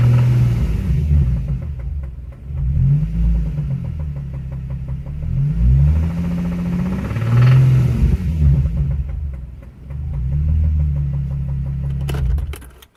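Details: Nissan 350Z engine with a spun bearing: deep heavy rod knock pounding as it revs, rhythm speeding with rpm; began as a minor tick and grew to full knock.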